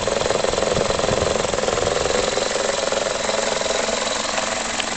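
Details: 2004 facelift Toyota Corolla E12J, 1.6 VVT-i 3ZZ-FE petrol: idle pulses unevenly about three beats a second with a shaky, lumpy rhythm; rough idle, cause unknown.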